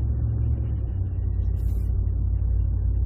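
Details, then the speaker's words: 2010 Ford F-150 with 6R80 six-speed transmission after fixing torque converter clutch surging, test drive above 25 mph in higher gear: even low cabin drone, no surge or rise and fall. "going fast enough where it would normally lock up getting those higher gears you're past 25 miles an hour and it's just smooth as can be as can be problems totally gone"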